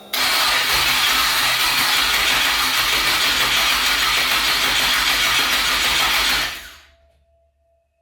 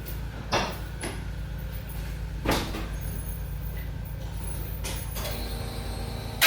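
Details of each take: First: Twin-turbo 5.3 V8 New Edge Mustang, first start after rewiring: long steady crank at about four pulses a second that never catches, then a pause and another crank; battery dropping to about 8–9 volts. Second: Twin-turbo 5.3 V8 in a New Edge Mustang, first start after wiring the new build: steady low idle burble, even throughout, with a few handling clunks; normal idle.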